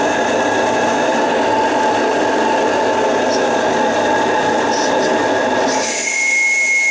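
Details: Repaired JMC 3 steam engine in the roughly 10 kg Lechalas RC steamboat at about 1.8 bar, working under load: steady, even hiss and chuff with no knocks or rattles; running sound and healthy.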